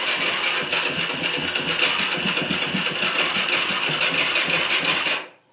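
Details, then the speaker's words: 2004 Yamaha YFZ450 carbureted single, choke pulled, carb professionally cleaned, definitely getting fuel, would not restart after a ride: fires roughly and unevenly, stumbling about five seconds with headlights flickering, then dies; cause unknown. "it kind of starts to fire up you can see the headlights kind of flicker on but it never quite fires up that's what it does"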